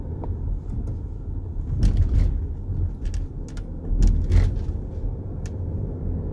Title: f15 x5 front suspension noise